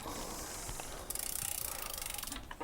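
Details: SRAM front derailleur on mountain bike after loosening limit screw to reach big chainring; quick run of even freewheel ticks as cranks turn, no scraping or rubbing: chain sits cleanly, normal front shifting.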